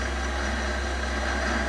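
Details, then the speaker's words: Chinese mini lathe spindle after re-seating a dislodged speed-sensor pickup magnet on the chuck shaft and lubricating bearings with Moly Slip: low steady even hum, no rumble or grinding; bearings much quieter than the day before. "i don't know whether you can hear the difference between when i did my video yesterday and now but the bearings are much quieter and much better lubricated"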